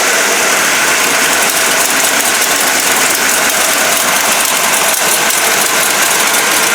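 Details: Dodge 440 big-block for a '69 Charger R/T on a test stand, about 45 minutes run, roller cam, lifters and rockers after two failed Comp Cams: a loud, steady idle with an even beat and no knock or tick. It runs cool with no leaks.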